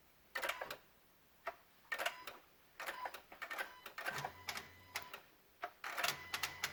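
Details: 2016 Honda Odyssey with Engine, VSA, LDW and FCW warning lights on: sharp dry clicks in uneven bursts of three or four with quiet gaps, engine off, near the PCM and VSA control module; a relay chattering.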